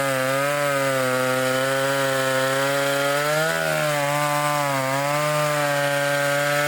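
Strong steady high buzz that sags briefly as it bites into the wood and picks right back up; clean, even running, healthy saw.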